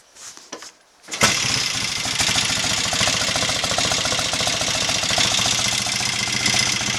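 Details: 750 Royal Enfield Interceptor MK1 twin after carburettor work (had kicked back and run on one cylinder; 25 pilot jets, 380 mains, 3.5 cutaway slides, mixture screws rebalanced): short start, then steady even putter, no spitting or hesitation; healthy idle.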